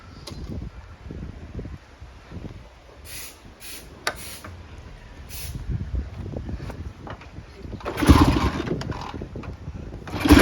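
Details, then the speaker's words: 1972 Triumph Bonneville T120V 650cc twin with 26,729 miles on the clock, kick-started, fires with ragged, lumpy pulses and revs lazily in bursts; rough, sluggish running, and it needs carb cleaning and probably points. "It's a running bike. It's not running very smoothly. It needs the carbs cleaning, and probably set of points."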